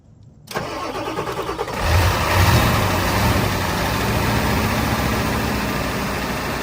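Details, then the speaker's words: Ford 7.3 IDI diesel after sitting about 11–12 years, cold, glow plug relay not heard firing: cranks briefly, catches, then loud uneven idle around four beats a second, dies unless the starter is held; owner expects improvement once warm; rough cold running. "I think it's because for whatever reason I cannot hear the glow plug relay firing. So I think we just need to get the engine warmed up."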